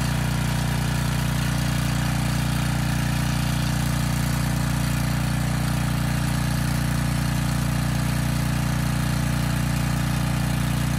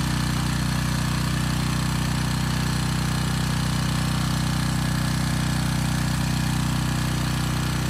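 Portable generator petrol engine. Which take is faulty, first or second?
second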